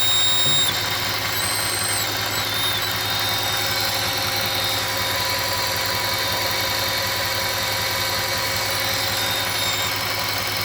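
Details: 2008 Audi S8 5.2L FSI V10 at idle: a high, thin wavering whistle over a steady petrol idle, a vacuum leak from a faulty throttle body gasket.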